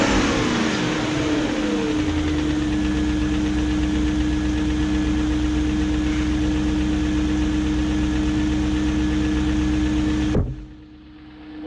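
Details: 2001 BMW E38 740i V8 after timing chain guide replacement, resealed VANOS units and a reconnected air hose: fires and settles into a smooth, steady idle with no ticking, then shuts off cleanly; normal running.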